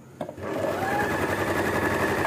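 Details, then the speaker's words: Singer sewing machine after cleaning and oiling its moving parts to fix noise and jamming: smooth, even whirr at constant speed with no clatter or knocking. The machine runs quietly and freely, audibly better than before oiling. "कि अब आपने मेरी machine की आवाज का difference पद salary कितना फर्क पड़ा"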